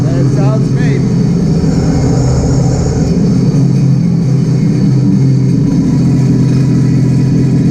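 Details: 2018 Sea-Doo RXP-X 300, first start after fitting a Riva Racing power filter intake. It catches and settles into a steady, deep idle with no ticking or puffing from the exhaust; healthy.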